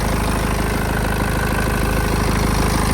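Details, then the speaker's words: 2014 BMW 320 with 240,000 km, started instantly with no warning lights: steady, even, quiet low idle with a smooth regular pulse about three beats a second, no knocks or ticks; normal idle. "заводиться з півтичка ніякі лампочки не потрібні не горять Мотор працює рівно тихенько працює"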